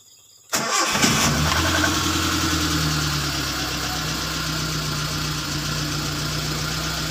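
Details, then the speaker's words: Car after owner replaced previously mentioned parts, start test: brief crank, engine catches at once on a single start and settles into a steady, even idle with no misses or knocks; sound start. "Sekarang kita coba cek ya, kita starter. Jadi starter sekali saja hidup. Perhatikan, mau kita starter."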